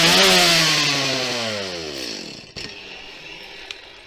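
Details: Stihl chainsaw after a cold start (full choke until first fire, then half-open choke, then throttle released): high screaming rev that smoothly falls away as the throttle is released, settling without stalling; the saw runs normally.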